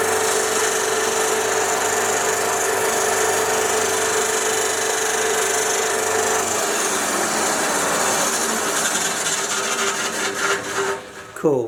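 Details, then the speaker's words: 1966 Soviet Stanko 1A616 lathe, first run after cleaning: continuous harsh rasping scrub from below that fades near the end; owner suspects the belt rubbing on something. "making some pretty terrible noises from down here sounds like the belt's like rubbing on something so maybe i'll leave it at that for now i did actually machine a little bit which is good but yeah something in here is making a scrubbing sound"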